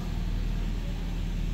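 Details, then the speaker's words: Toyota Vios, 89k mileage, previously misfiring and shaking, after cleaning throttle body, intake and sensors, before throttle relearn/reset: smooth even low idle rumble with no misses or stumbles; runs okay. "Okay naman andar pero syempre i-res natin."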